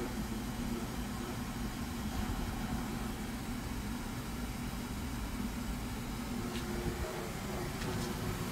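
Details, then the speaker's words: Cleaned Duracraft pedestal fan oscillating: a steady airy whoosh with a low buzzing hum underneath. The owner says it never vibrated like this until recently. Vibration noise. "so now to put it oscillate except that vibrating T it's actually never done that recently until like"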